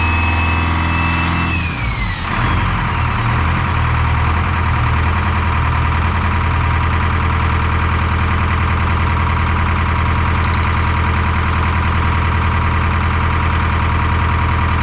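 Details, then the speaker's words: Detroit Diesel 4-53T fitted with 9G90 injectors, run from a 5-gallon tank bypassing the solenoid: lumpy uneven idle, one cylinder not pulling. Fuel starvation, filter only half full, from a loose suction hose clamp before the primary filter; injector 2 not delivering, dead cylinder. "well it certainly looks like fuel starvation um pull the filter off it's only half full of fuel"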